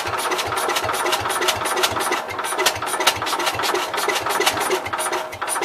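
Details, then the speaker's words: Cub Cadet 122 lawn tractor, clutch locked down: even starter cranking with sharp, regular compression pulses; it never catches. Owner suspects lost spark or leaking valves and may need carb cleaner. Cranks but won't start. "So it's trying. It tried. Alright. I think we lost spark. Well, kind of seems like the valves are leaking."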